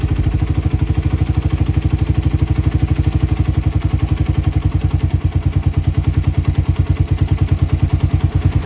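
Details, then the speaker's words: Single-cylinder motorcycle with a PE carburetor, pilot jet size 35, air screw set one turn out for the most stable idle: a steady, even putter with a regular beat and no hunting or misses; normal idle. "Nah untuk langs paling stabil dapat di satu [Musik] putaran berarti pilot kat sudah pas di 35 atau bisa pakai [Musik]"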